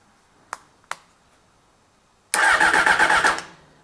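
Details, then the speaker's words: 1995 Honda CBR600F that sat a very long time, on a battery of doubtful charge: two clicks, then about a second of quick, even starter cranking without catching; a test plug shows weak spark, and it cranks but won't start for lack of fuel. "wow cranks I'll just get you down here so you can see the spark"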